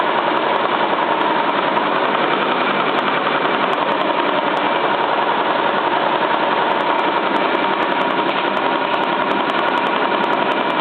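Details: Cylinda 12002 washing machine on final spin: fast steady knocking three to four times a second over the drum roar, like something stuck in the drum; inspection pocket checked, nothing found, source unknown.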